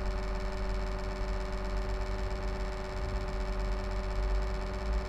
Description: My laptop HP Envy m6 makes this strange noise from the fan, someone could tell me what it is?